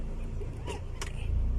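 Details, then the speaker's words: Honda City after repair of cold-engine shaking and stumbling that worsened with A/C on: low, even idle rumble with A/C on and in gear, no shake or stumble; normal idle. "รถเดินเบาปกติเลยนะอ่าอ่ะแต่ถ้าไม่มีการสั่นนับไม่มีอาการกระตุกนะผมเครื่องยนต์เดินนิ่งครับ"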